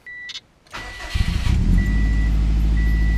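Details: Subaru after replacing failed cylinder 3 ignition coil (P0303) and resetting ECU: brief chime, short crank, catches quickly into smooth even idle, a little squeak; no codes, normal start.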